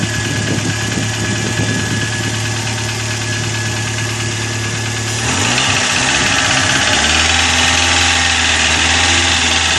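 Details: Chevrolet Corsa at idle: steady rapid ticking of about three per second over the engine note, from hydraulic lifters slow to pump up because the oil pickup in the sump is dirty.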